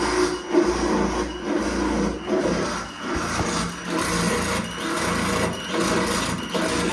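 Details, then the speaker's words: Fuel pump bench-run through an output tester on its low side after its shaft was tightened: rough, uneven buzzing whir with rasping pulses about once a second; pump still noisy, cause not pinned down. "Uh, really doesn't sound very good."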